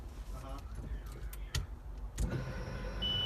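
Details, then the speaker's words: Turbo Honda CRX, newly installed in-tank Walbro 450 LPH fuel pump, priming with the ECU refitted. A loud, steady high-pitched whine, louder than claimed, but normal priming. "I threw the ECU on the car primes really loud on the in web it said that the walro 450 is a lot quier than the 255 and the results came in and that was a lie"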